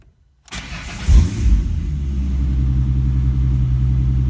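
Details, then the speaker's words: 2005-2009 Ford Mustang started right after installing an N2MB WOTBOX: short crank, a quick flare of revs, then a smooth, steady deep idle with no misfire or stumble. It starts and runs normally, nothing feels different. "Alright, car seems to be running pretty okay. Doesn't feel like anything's really different about it."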